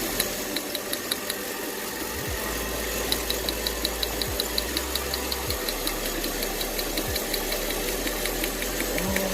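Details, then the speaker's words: 2008 Mercedes CLS500 V8 with P0300 and cylinder 1 misfire codes: crisp, regular snapping ticks two to three a second over idle as the new ignition coil throws strong spark; old coil was no good. "As you guys can see, this coil is definitely working. The old one was no good."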